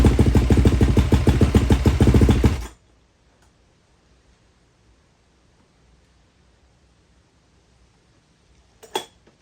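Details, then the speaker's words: Rebuilt KTM 250 with silencer, airbox and air filter refitted, choke off: sharp even firing pulses, idling cleanly with no miss or knock during a short heat cycle before shutting off. "guys I'm pretty pumped that sounds good it's able to get the idle as there's no ch the choke wasn't on so excited"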